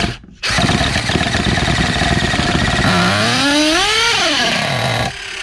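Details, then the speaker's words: Vintage Losi Muggy RC buggy nitro engine, first start attempt with electronics not installed: raspy buzz catches, revs and sags unevenly, then cuts out with lots of smoke; flooded with too much fuel and stalls. "All right, got a lot of fuel in there. Woo! But it fired up, and I think it killed itself also."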